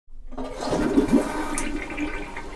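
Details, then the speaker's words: Toilet flush with bubbly gurgling as the bowl underfills; cause is the fill valve refill tube not attached into the flush valve overflow tube inside the tank. "you're having issues with your toilet gurgling like that i want you to try plunging it but if it's still doing that after you plunge it i want you to take a look inside the tank"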